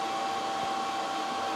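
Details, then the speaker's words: xTool P3 CO2 laser engraving after replacing a cracked leaking water tank; exhaust fan on, steady airy rush with faint constant tone, no stutter or rattle, no error notice, tank holding, running normally. "I mean it seems to be working it's working I didn't get an error notice"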